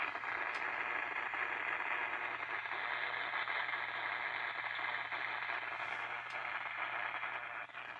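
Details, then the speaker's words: Mid-1960s Channel Master 6528A six-transistor AM radio found at a garage sale: steady hiss with irregular pops and crackles and no station. Only the upper band works, nothing below 760. Loose board connections or an intermittent oscillator are suspected. "Well, static's a good sign. Pretty tuning condenser, maybe? Got upper band, but no lower band."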